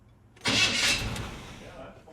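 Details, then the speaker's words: 1979 GMC Sierra after the starter was replaced: short, clean crank with no grinding or gear clash, then the whir dies away evenly; the starter grinding problem is fixed. "Yep. Now that's perfect. That just needed another starter."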